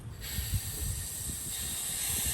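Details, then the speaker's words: Audi 2.7T with code P1557, boost leak test using a PVC cap, 1/4-inch air fitting and regulator: a steady airy hiss builds as pressure rises. The bottom of the throttle body boot is split open and leaking boost. "And you can hear a leak coming from the bottom of the throttle body boot. So the bottom of the throttle body boot is split open."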